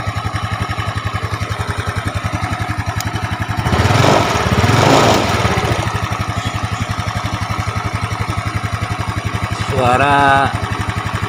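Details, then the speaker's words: Yamaha Mio scooter at idle: fast, steady "trek trek" clatter over the beat from a worn cam chain; valves were already adjusted; fix is replacing it with a Honda cam chain (90 links). "ada suara derak, trek, trek, trek, kan? Suara seperti komponen mesin, katup atau rantai kam, tapi mari kita matikan dulu;"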